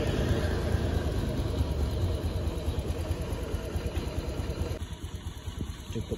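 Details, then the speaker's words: Honda Beat injection bore-up scooter after CVT service (block, rollers and clutch shoes cleaned with petrol; rough before): low even idle drone that settles and quietens, no rattle or judder from belt drive; normal CVT running. "Coba dites dulu oke Guys ini untuk suaranya mudah mulai sudah mulai halus"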